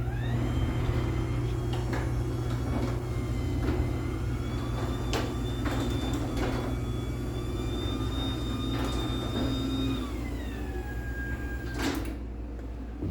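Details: LiftMaster 84505R belt-drive opener on a T-rail, made May 2022, running a small garage door: steady motor hum with a smooth whine for about ten seconds, then dropping off as the door stops; normal operation, though louder than the first-gen 8550.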